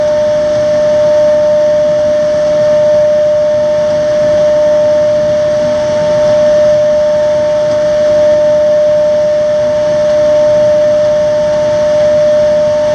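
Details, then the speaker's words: Xeikon 5000/6000 printer drum being refinished on a refurb station (machine repaired with new belts and gears), fine blue sanding pass removing fused toner: steady clear mid-pitched tuning-fork-like ring over soft hiss, normal drum ringing during sanding. "And here comes that noise. It's like a tuning fork."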